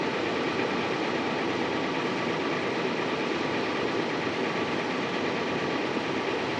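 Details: 2016 Toyota 4Runner engine making a loud, harsh diesel-like knocking clatter at idle and lower RPMs, under the exhaust hum.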